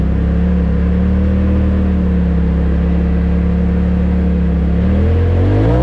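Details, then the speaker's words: 2020 Polaris RZR Pro XP after Aftermarket Assassins Stage 3 clutch kit, Stage 3 tune, 1-2-2 weights, 32" tires: loud steady drone climbing smoothly in pitch on acceleration, no belt slippage or flare, clutch grips the whole time; rpm about 8400. "uh that thing gets up and goes uh no belt slippage it just grips and goes the whole the whole time"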